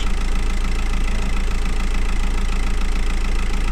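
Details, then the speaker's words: VW Golf V 2.0 TDI 140 hp idling after cleaning corroded ground straps (earlier black smoke, low power, loud running, weak charging, codes 18051 and 16683): steady, even diesel clatter, much quieter, no smoke; charging now stable; normal idle. "razy ciszej pracuje równie nie kopci"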